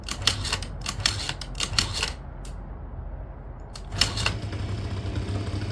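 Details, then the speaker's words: 2009 Yamaha Zuma 50 two-stroke scooter, with fuel squirted into the cylinder and fuel reaching the carb. Short bursts of starter whirring with light clicking, but it never catches because the engine run switch was left off. "I forgot to turn the engine run button on. So, it does start a little bit."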